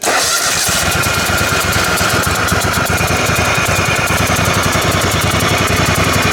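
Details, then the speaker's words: Kohler Command Pro 27 hp twin on lawn mower, running on one cylinder, cranking and catching with sharp ragged exhaust-leak-like puffing; owner suspects blown head gasket, unconfirmed. "it's developed it sounds like an exhaust leak, but I think it's actually coming from the head gasket itself. It's actually blown enough that you could hear it."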